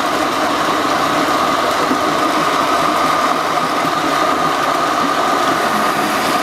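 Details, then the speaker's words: Shimizu shallow-well water pump with check valve, pumping a well placed away from the pump until it runs dry: even steady whirr, constant mid-pitch hum, no knocks or surging; running smoothly. "Oke sekarang kita akan coba ya pompakan Air ini sampai habis Apakah pompa ini nanti bisa kita Nyalakan kembali tanpa mancing ya ayo kita habisin ya"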